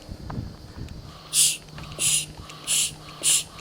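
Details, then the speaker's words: 1991 Cadillac Brougham setting code 32 in cold weather; four sharp hisses as the vacuum pump is stroked on the EGR valve, whose diaphragm is ruptured and stuck closed; fixed by replacing the valve. "you can even hear the [Music] hissing so this EGR valve was stuck closed which set the code"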